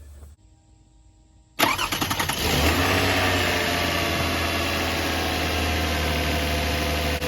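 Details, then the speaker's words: 2006 Toyota Highlander 3.3L with coolant leak, suspected head gasket but oil looks clean: starter cranks briefly, engine catches with short rev, then settles into steady even idle with no misfire; smooth. "geez that's just as smooth as it can be there's not a misfire or anything"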